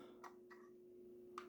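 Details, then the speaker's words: Jaguar XK8/XKR centre-console lid (cupholder/cigarette-lighter compartment), spring-opened with a latch, after lubricating mechanisms that had no visible grease: soft clean latch clicks over a faint hum, no squeak or grind. Lid now operates smoothly and quietly, unlike before. "it is very, very smooth and quiet now. It wasn't like this before, but now it's functioning well."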